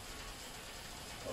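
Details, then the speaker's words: 300-litre electric water heater drained with a portable compressor in 12 minutes: soft steady airy hiss at the drain with no water gurgle, air escaping means the tank is fully empty. "allez entendre l'air qui va sortir. Donc ça veut dire que le chauffe-eau il est totalement mis danger."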